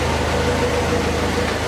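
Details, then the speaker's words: 1981 Alfa Romeo Spider Veloce, revived after storage with fuel and ignition work, idling after timing set; steady, even idle around 800 rpm (tach reads about 900), smooth beat with no knocks or misses. Distributor clamp still to be tightened. "all right we've got the timing set seems to want to idle around uh 800 or so the tack reads a little bit higher"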